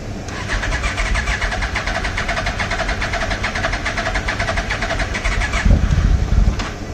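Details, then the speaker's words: 1996 Yamaha Royal Star Tour Classic garage find, 29,000 miles: starter cranks steadily about five seconds with uneven turnover but no start. Owner suspects bad fuel, and the battery is weak. "Yeah, looks like we ain't got no good gas in here."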